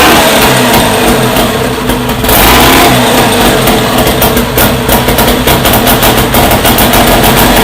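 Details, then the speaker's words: First startup of a freshly rebuilt Scott two-stroke motorcycle engine, heavily oiled with the pilgrim pump checked: crisp, even crackle that picks up cleanly on throttle blips and settles without misfires. It runs well and sounds lovely. "That sounds lovely. There you go, Billy."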